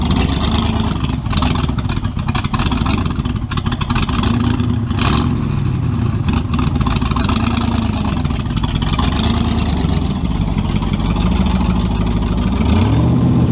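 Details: Model A with a 350 small-block Chevy (hydraulic roller cam, 9:1), tunnel ram with two Edelbrock 600 cfm carbs jetted lean, in a driveway test: deep rumble surges and drops repeatedly under throttle, falling flat when floored; owner unsure if rich or lean.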